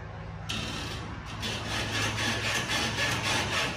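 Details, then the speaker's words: Toyota Tacoma, rear Old Man Emu heavy-duty leaf springs, loaded with deck system, camping gear and topper: rhythmic scraping creak, three to four strokes a second, as the body rocks; squeak began weeks after install, now severe at 10,000 miles; spring clamp brackets suspected. "it is insane the thing sounds like an old buggy"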